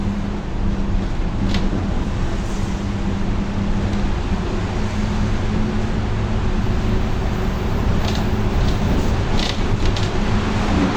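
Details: Torino S bus, Volkswagen 17-230 OD Euro V chassis, while driving: a steady low drone over the road noise, holding its pitch, from a rear differential that is howling loudly.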